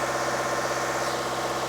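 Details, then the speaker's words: Car at high idle during an intake cleaning service, after the rinse through the intake ports: steady, even idle hum with no misses, stumbles or ticking, smoother than when driven in; normal idle. "Now, I drove this car in. It does sound smoother."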